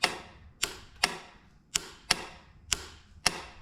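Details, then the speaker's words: Engine of an old, badly damaged boat, jumped at the small Bendix solenoid: seven sharp solenoid clicks with no cranking, so the solenoid works but the starter doesn't turn; bypassing it later spun the engine. "solid click from the solenoid so solenoid is working but we're not getting anything from the starter"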